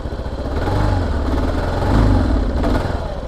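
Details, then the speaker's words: Kawasaki KLR 650 single-cylinder, choked then warmed up, first ride of season: revs swell and sag unevenly with rough pulsing note instead of climbing cleanly; owner thinks a problem remains, cause unconfirmed, possibly fuel delivery. "But the revs are intermittent. It should be a little bit more consistent still, so I think we still have a problem."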